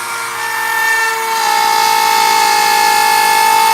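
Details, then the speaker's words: 5.5-amp router carving a wood sign with a profile bit: steady high whine with a rough, fluttering edge under load; the bit is chattering because it was set far too deep. "further that router bit is into that collet, the less chatter you're going to have. Oh, really? And that's what that sound is. That sound is chatter. It's the router bit microscopically kind of shaking and spinning a little bit."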